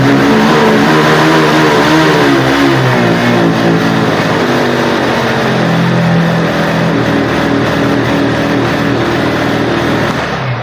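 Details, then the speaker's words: Honda motorcycle with a poor local aftermarket air filter, held at full throttle. The engine drones at one flat, muffled pitch and will not pick up. Engine bogging from restricted air filter. "ஃபுல்லாதான் தட்டில் குடுத்துருக்கேன் அப்பவும் வண்டி வந்து pickup ஆகல"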